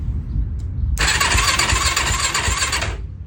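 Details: Yamaha YFC450 quad with a new starter relay and repaired starter button wiring, fuel off: a couple of seconds of thin, uneven cranking that never catches. The starter turns too weakly because the battery is very dead.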